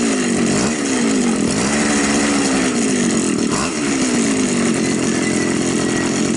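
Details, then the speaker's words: Champion two-stroke trimmer that stalls at idle but runs fine under throttle, before raising the top idle screw (the carburettor has no fuel screw): idle note wavers and sags as if about to die; low idle speed causing stalling. "значит нам просто надо немножечко подкрутить холостого хода Винт"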